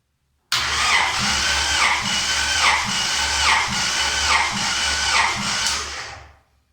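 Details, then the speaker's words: Honda H22 engine, compression test on the last cylinder, reading about 205 psi (cylinder 2 lower at about 145): steady cranking with even compression beats about four a second; healthy compression. "That's pretty good, about 205."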